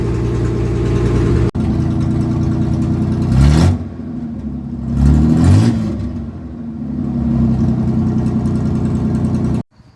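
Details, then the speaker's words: Chevy S-10 project truck on its first start, revved with the exhaust broken off: loud, raw, blatty unmuffled revs that swell and fall with the throttle; exhaust leak. "It kind of sounds awful, but I mean that's because the exhaust is just broken off."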